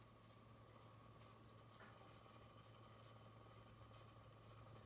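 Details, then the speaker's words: 1954 Ingraham Sentinel "Kitchenette" electric wall clock after rotor disassembly and re-lubrication: very faint steady low hum, no scraping, rattle or wavering, audible only in a silent kitchen; repair successful. "when people are in the kitchen and things are happening that's based like the clock sounds silent I mean the kitchen itself has to be silent before you can actually hear anything coming from the clock"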